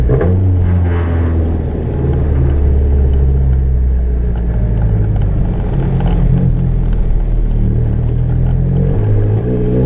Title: ka24det 62-1 7 psi 2nd-3rd gear pull with exhaust leak